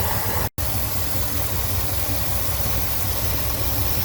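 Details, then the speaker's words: Cadillac 8-6-4 with rebuilt ECM and new idle speed motor, not run in about three months: lumpy idle around 800–900 rpm, one cylinder sounding marginal; rough idle, suspected misfire, no ECM codes, target 1500 rpm. "Well, I've got her up and running. Um, and the meter's working, showing me around 8 or 900 RPM, but it's running kind of rough. Um, sounds like it's got a misfire."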